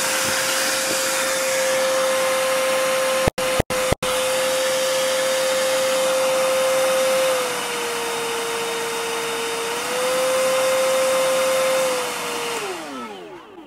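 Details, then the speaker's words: Hilti vacuum: steady whine with quick thumps from auto filter cleaning, then lower pitch as Eco mode drops motor rpm, spinning down; normal operation. "so you could sort of hear from that that when you put into the Eco Mode definitely drops down the um RPM on the vacuum and you can have Auto filter cleaning which you can hear that thumping that it's like cleaning the filter"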